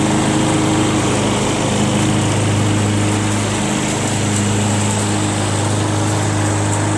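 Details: Free curb-pick John Deere JS63 mower, run to burn the tank dry for storage (about 25 minutes): constant buzzing drone at one speed without surging or sputtering; healthy normal running.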